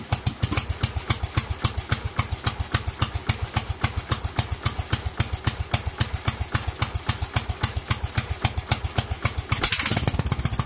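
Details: Kohler single-cylinder engine with Honda GX390-type carburetor: runs happily at idle but chops unevenly and surges, leaning out badly at the top end; lean mixture at high rpm.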